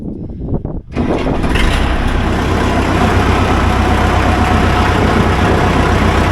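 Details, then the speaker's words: 1975 Case 580B loader backhoe after topping up fluid about 3 quarts low: cranks and catches in about a second, steady even diesel idle, awfully quiet, no transmission whine or grinding. "sounds awfully uh quiet all right put her in Reverse here we go she's crawling now no assistance good"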